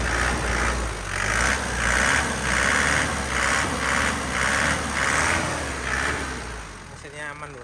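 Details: 2007 Isuzu Panther Grand Touring diesel with a dry engine, no oil leaks, and well-kept hoses and coolant reservoir: blipped in quick even pulses, revs rising and falling cleanly with no knock or rattle, stable and not limping; engine healthy.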